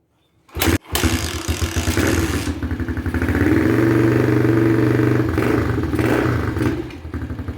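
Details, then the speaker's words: XPRO Hawk 150cc pit bike, formerly sluggish at top end, now fitted with a NIBBI Racing high-flow air cleaner replacing the restrictive stock airbox: starts after a brief crank, revs crisp and even, settles cleanly; healthy. "But let's fire it up, man. Let's fire it up real quick. I'll just see what it sounds like with a couple of T-pulls, man."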